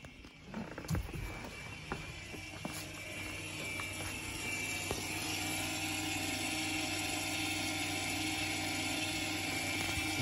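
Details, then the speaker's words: 2015 Jeep Cherokee Trailhawk rear brakes, caliper and pads off, brake put in service mode via controls settings: a few clicks then a steady thin electric whir as the electric parking brake motor runs to retract; owner thinks it may not have fully retracted with brake system open. "Okay, so they should have retracted."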